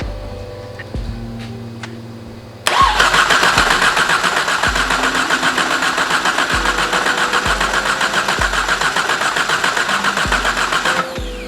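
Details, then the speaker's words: Exocet after the stuck-open injector problem, key on with fuel pressure at 60 psi, a leaking fuel fitting and the ECU unplugged. Steady cranking at about four turns a second for eight seconds, never firing; a spraying sound is suspected, and a bad crank sensor is later suspected. "Doesn't sound like it's gonna happen. I swear I hear something spraying."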